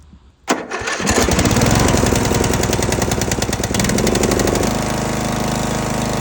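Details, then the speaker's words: Husqvarna residential zero-turn mower, Briggs & Stratton 20 hp engine, neglected for years, milky oil, after PTO switch replacement: starts and runs with fast light ticking and a speed shift; sounds like valve tick, valve adjustment planned, unconfirmed. "it does sound a little Ticky so we're going to have to go through this process here of taking this bracket off so we can get to the valves"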